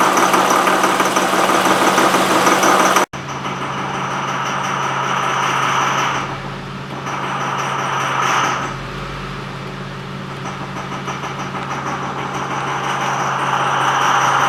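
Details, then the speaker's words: 2005 Honda Pilot idling in reverse: uneven, clattery, diesel-like beat of about three pulses a second. The rough idle is worse at idle and seems fine when driving. Cause unknown. "and now we're going so this it's in Reverse and it's just idling here you have this diesel engine sound"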